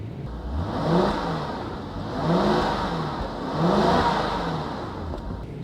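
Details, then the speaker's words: 2002 Jaguar XJ8 3.2 V8, former dignitary and wedding car: nice smooth V8 rising and falling through three even revs, no knocks or misses, clean pull each time; engine sounds healthy. "nice smooth V8 sound right"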